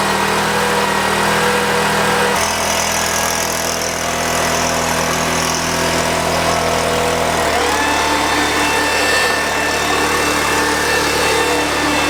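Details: Husky 3650 generator, fixed secondhand unit started on choke: steady drone at even speed, brief pitch change as it settles, no surging or misfire. Normal running.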